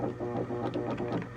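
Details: 1979 Williams Gorgar System 6 pinball: a steady low electrical buzz under the game sounds at game start, from a drop-target coil locked on. It is not locked on at power-up, so transistor 21 is probably fine; driving circuitry is suspected.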